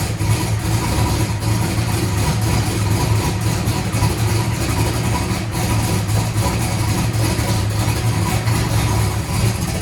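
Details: Race car after replacing a broken part and draining methanol from the oil pan: deep, even, lumpy idle holding steady throughout with no knocks or misses; the engine sounds healthy.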